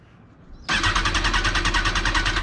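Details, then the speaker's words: 2005 Kawasaki ZX10R auction bike, 51,000 miles, listed as runs and drives; starter spins the engine with rapid even chatter for about two seconds but it never fires, and no fuel pump priming is heard; crank, no start. "it has 51,000 miles on it that's a lot it's also as you can hear no fuel pump"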